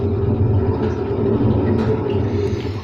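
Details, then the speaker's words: Hotpoint WM74 washing machine drum turning at wash speed: heavy low rumble and droning tones from worn drum bearings; owner thinks the motor may also need work, and reverse rotation gives a twang. "let's have a listen on a gentle gentle speed the bearings creak a bit"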